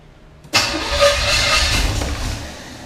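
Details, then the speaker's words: 1980 Camaro 2nd gen, Chevy 5.7 (350) small-block V8, first start: short crank, then it catches abruptly and runs loud and unsteady before settling. Hard starting; distributor timing was far advanced, and plug wires were later moved two slots over. "so yeah well it cranks a little bit hold on and again I guess a little spin"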